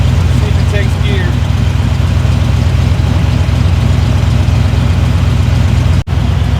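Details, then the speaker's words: Jeep Cherokee Chief that sat a long time, after a short first drive: a steady, low, even V8 idle with no knocks or misses, running smooth but idling slightly high, so the idle could be turned down. "You can turn the idle down a little bit, but damn, I can't believe it's been sitting that long and runs as smooth as it does."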